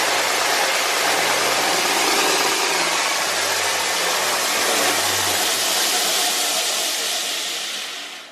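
A steady, even hiss and hum holds at one pitch, then winds down smoothly; the sander runs cleanly with no knocks.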